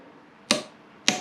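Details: TAGVIT torque wrench on a motorcycle nut at a 15 kg setting with a reducer: two crisp, sharp clicks about half a second apart in a quiet room; the wrench breaks cleanly at its set torque.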